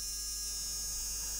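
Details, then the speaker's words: Arduino Mega battery tester charge/discharge circuit on the bench: as the voltage is wound up, a relay buzzes and chatters with a steady high buzz over a low hum even though its drive wire is not connected, so a fault needs investigating. "going crackers and it shouldn't be doing anything this is the drive to it which is this wire not connected okay we have a problem"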